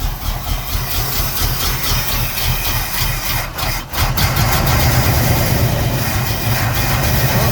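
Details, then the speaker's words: 1974 Pontiac Ventura, original engine, 83,000 miles, sitting 3 years, rebuilt Edelbrock carb, old gas: loud, uneven, low chugging idle just after a cold start on choke; owner thinks the choke should be backed off. "Yeah, I think it just wasn't a little bit of choke. Think we could back that choke up a little bit. It's really chugging."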